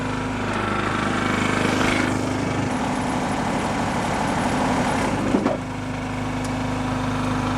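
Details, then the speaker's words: John Deere tractor with Marketplace hydraulic MCS leaf vac, PTO engaged for the first time: steady drone with a low throb sagging under PTO load; engine stalling, also dying with PTO off, oil pressure light on, cause unknown. "well it's stalling the engine so not a good sign oh i don't know what's making the tracker die"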